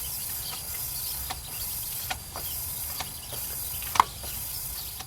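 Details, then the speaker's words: 1988 Jeep Comanche Renix 2.5L I4 leak-down test, cylinder 1: steady high air hiss with faint ticks; owner suspects a slight intake valve leak plus a little ring leak, nothing heard at the exhaust. "So there's a possibility that our intake valve is leaking a slight bit, along with a little bit of ring leak. Nothing on the exhaust."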